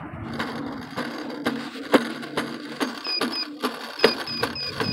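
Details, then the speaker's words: Hoverboard ridden standing, going too fast: quick high chirping beeps over wheel clicks and rattle, the overspeed alarm warning the rider to slow down. "And also, when you go too fast, it will like beep at, like it would beep at you."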